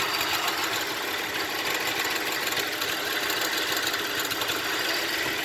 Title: 04 srx rough idle